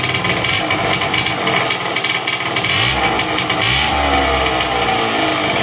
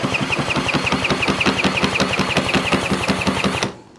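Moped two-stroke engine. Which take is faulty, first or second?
first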